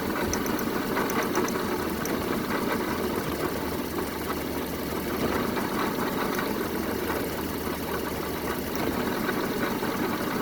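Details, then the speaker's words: 1974 Honda Civic series 1 Mk1 after spark plug replacement: lumpy, unsteady idle with choppy missing beat throughout; still misfiring, owner plans compression check, cause unconfirmed. "It's running, but not the best right now, so most likely I'll have to check the compression on this engine as well to make sure it's good."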